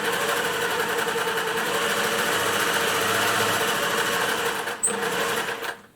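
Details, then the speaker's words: 1950s Singer 401A sewing machine running after base refitted, zigzag tested, bobbin tension probably a bit tight: even fast whirring stitch rhythm winding down at the end; runs acceptably, not perfectly smooth, probably needs tuning. "uh it sounds okay wouldn't say it's the smoothest machine i've ever heard"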